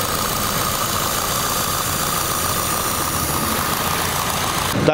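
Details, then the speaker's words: Idling petrol engine with a steady airy hiss, an apparent vacuum leak heard on the side with the injectors, intake manifold and throttle body; car vibrates throughout, diagnosed during a tune-up. "parece que se oye una fuga de vacío de este lado a esto en México le decimos está chupando aire"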